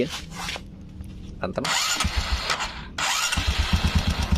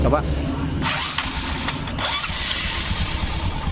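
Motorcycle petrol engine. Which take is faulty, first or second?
first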